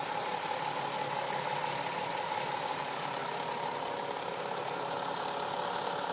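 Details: Hot-engine idle of a VW Golf V6 4motion 2.8: light, fairly quick tapping of about three per second riding over the engine hum; a ticking noise when hot, cause unknown.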